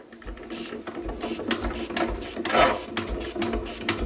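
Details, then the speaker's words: Renée stationary engine from the 1920s, not run for years, restarted after fitting a filter: uneven firing pops gathering into quicker, louder beats as it catches and speeds up; it starts and runs, earlier trouble attributed to lack of compression. "Voilà, mon gars. Ça, c'est cool! Ça va s'emballer. Ah oui, c'est bon. Il avait juste pas de compression."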